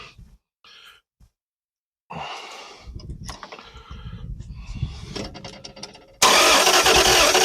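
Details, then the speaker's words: Engine sitting 40 years, distributor possibly off a tooth; starter turns the engine over at an even beat without firing because the ignition wasn't hooked up; crank, no start. "we're getting close I think the timing is okay I mean I've played around with a little bit um backfired up the exhaust a couple times it's it's close you can tell it wants to start"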